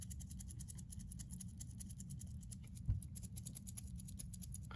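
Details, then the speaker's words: Brand-new Rolex Oyster Perpetual 41 mm ref. 124300 steel bracelet shaken: rapid, irregular light metallic clicks over a low room hum. The bracelet rattle is judged poor, like on a cheaper watch. "you should be able to hear the rattle um on this bracelet it is not a good rattle this is something you would find on a cheaper watch"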